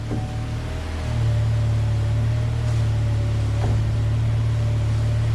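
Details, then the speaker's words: 2008 Chevy Malibu with front-end noise and wearing tires, high mileage: over a steady low drone a faint level groaning tone holds while the wheel turns; front strut bearings stuck on both sides, full strut assemblies needed. "that's the strut bearings are stuck in this thing you get that [Music] tone when you're turning your strut bearings are stuck it's gonna need struts on both sides"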